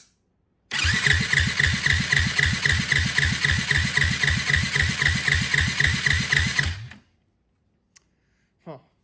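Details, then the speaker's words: 2004 Yamaha WR450 compression test: steady cranking at about four pulses a second for six seconds, reading only about 35 psi. Low despite the decompression mechanism; valve lash to be checked. "Now I know this does have a decompression mechanism, but we should definitely have more than 35."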